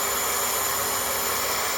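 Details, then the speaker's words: Pool pump on temporary replacement capacitor, filter breather open: steady even hiss of rushing water and air over smooth motor, no grinding; priming and pumping properly while air bleeds out. "so it's pushing air out and now the pump is moving all the water real fast so it's pumping properly the way it's supposed to be"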